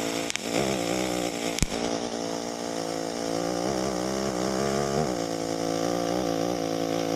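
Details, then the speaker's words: EWM Tetrix XQ 230 Puls AC/DC Expert 3.0 TIG welder: soft steady buzzing hum at even pitch, almost no noise, no crackle; welder notes occasional small arc clicks of unknown cause. Smooth, quiet normal arc. "Vous voyez, on entend quasiment plus de bruit. C'est vrai que des fois, je sais pas trop pourquoi, mais on entend des petits cliquetis de l'arc."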